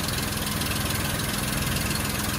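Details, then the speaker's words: Normal, smooth, steady idle with no misses, surging or knocking on a Daimler limousine's first test run after 32 years, likely burning through old gas. A carburetor rebuild kit is planned because of the old float gaskets. "But it started and it's running. Well, it is running. It's probably working some old gas through."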